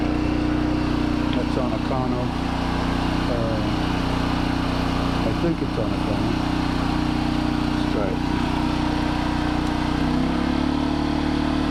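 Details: New 2200 W inverter generator, fresh oil and gas, just after first start: steady, even hum at fixed pitch with no hunting, misses or knocks; idling smoothly and healthy.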